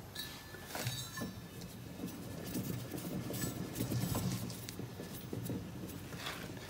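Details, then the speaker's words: Bad Boy Maverick 60 zero-turn mower deck spindle, belt removed, spun by hand: dry, gritty rattle with uneven clicks as it turns; worn spindle bearing, needs replacing. "pretty obvious um this one's making a lot of noise and it definitely needs to be replaced"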